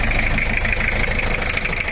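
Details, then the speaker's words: Toyota Kijang LGX 2L diesel: rough idle with hard uneven knock, like one dead nozzle; cracked pre-combustion chambers, plus worn camshaft, blow-by smoke at oil cap; chambers replaced, injection pump recalibrated. "Ini adalah chambernya yang kemarin retaknya sampai ke dalam, yang menyebabkan suaranya kurang bagus."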